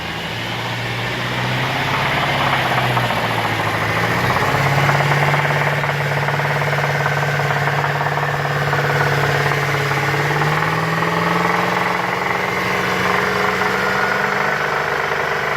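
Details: 2010 Chevrolet Traverse engine revved from 2,000 to 3,000 rpm: steady, fairly regular knock or tick; owner unsure whether rod knock or timing chain.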